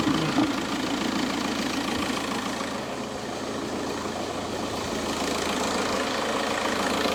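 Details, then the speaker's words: Seat engine at idle after coolant refill: light jingling rattle at about three per second from the belt drive, owner suspects the belt tensioner, which moves a lot; tensioner to be replaced before any alternator; metallic rattle at idle. "No sé si apreciáis el sonido apreciáis el sonido suena el tensor escucháis suena el tensor va a ser el tensor el tema del sonido"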